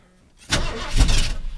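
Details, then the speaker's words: Pickup truck: brief starter cranking with low churning that never catches; cranks but won't start, owner suspects it is out of gas. "oh Pump It Pump It I think I might be out of gas actually in fact that wouldn't surprise me one iota"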